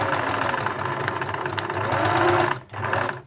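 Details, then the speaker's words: 1980s Singer Futura sewing machine (model 1000, 1100 or 2002), just oiled: fast busy clatter with a rattly edge while sewing, then slows and stops; a bit noisy but a good runner, reverse and zigzag seemingly not working. "yeah it's a bit noisy yeah but yeah good a good runner i would say"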